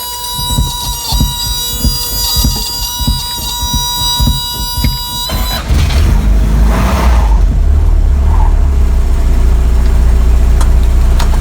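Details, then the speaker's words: 1985 Toyota pickup, 22R 2.4L four-cylinder carbureted, 2WD, first start after mechanical fuel pump replacement; starter cranks several seconds then engine catches into steady even idle, no stumble, no leaks; normal start and idle. "Well, that sounds good."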